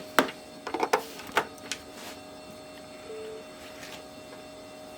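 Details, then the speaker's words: Original Xbox returned by its buyer as non-working after a bench repair; after about three minutes of running, the DVD drive gives irregular sharp clicks and ticks while loading a disc over a faint hum, then settles. The drive sounds unhealthy and the picture on screen is moving. "really strange that definitely didn't sound good"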